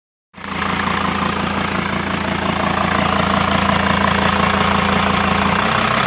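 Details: Mercedes W210 2.7 CDI diesel: runs steadily with a thin whistle over the clatter, growing a little as revs build; the turbo is whistling, cause unknown to the owner.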